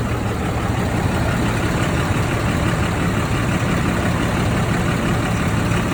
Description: 2012 Dodge ram 2500 Cummins Rattling noise, I'm guessing it's an accessory running off of the serpentine belt?